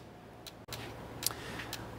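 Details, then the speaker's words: Sharp irregular clicking of the fuel pump and ASD relays in the engine bay after the engine stalls, caused by a faulty cam sensor setting crank sensor codes P1389, P0320, P0622. "can see the car died we have our problem I was actually able to catch it on camera which was awesome you hear the relays clicking"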